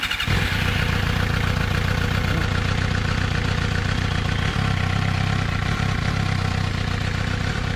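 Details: 2006 Suzuki GSX-R750 after a rough-running fix, with the injectors removed, cleaned and tested, throttle bodies cleaned, and spark plugs and coils checked: the inline four fires straight up and holds a smooth, steady, even note with no misfire; running properly.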